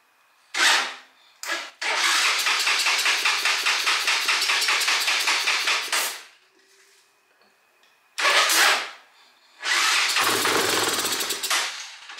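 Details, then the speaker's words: Honda FourTrax 300 ATV after a new CDI box, coil and spark plug, spark confirmed; several bursts of rapid even cranking, catching only briefly on starting fluid, fuel starvation suspected to be a carburetor problem. "but it looks like it's only wanting to run off of the starting fluid didn't sound like any fluid or any fuel was inside of here"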